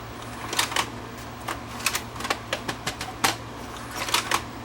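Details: Panasonic PV-V4522 VCR: irregular light plastic clicks and ticks as the loader hunts and never draws a certain tape in.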